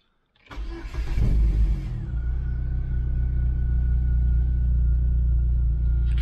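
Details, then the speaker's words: Astra under rebuild, start after fuel pump reseat during supercharger install: brief crank, then catches cleanly and settles into a steady, even idle with a faint constant whine underneath; sounds okay, normal start and idle. "see if we can hear it running sounds like it okay that's good news"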